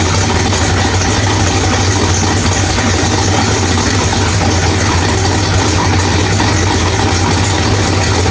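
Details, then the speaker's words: Drag-race V8 with Powerglide, first start after loose flex plate bolts were found and a new ATI flex plate fitted: loud, steady, even idle, no bellhousing rattle, running rich; normal idle. "All right, guys. Well, everything sounds really good."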